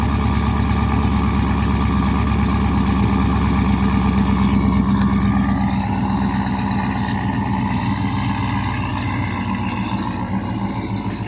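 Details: Steady, even churning at about four pulses a second for the whole crank, with no clicks or drag; the starter turns the engine over normally.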